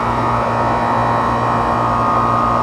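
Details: Outdoor AC condenser running with a steady, even hum and whoosh and no screech or rattle after its bad dual capacitor was replaced; the condenser fan motor draws 1 A against a 1.5 A maximum.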